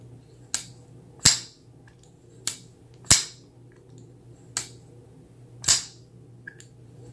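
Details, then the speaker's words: Kizer Cozy folding knife (154CM steel, Micarta) lock worked, sharp uneven clicks with a faint brief squeak; knife had substantial lock stick that is breaking in, now squeaks. "you hear that squeak it's like a little squeak and then there you can hear a little bit of a click sometimes this knife had pretty substantial lock stick"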